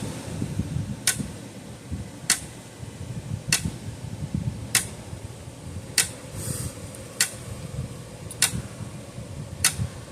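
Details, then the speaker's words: Old Parmak 12 V fence charger, roughly 50 years old, bench-powered at 12.5 V: sharp snapping clicks about every 1.2 seconds over a quiet hum, one with extra crackle; points arcing every once in a while as it pulses. "It is arcing on those points every once in a while."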